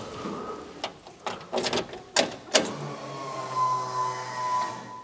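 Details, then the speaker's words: Fuel pump on Poppa Bear priming after sitting a while: a few clicks and clunks, then a steady low electric hum with faint whine as it builds pressure; no fuel leaks seen, normal priming. "okay just prime it again it's been a while it's building pressure you can hear it"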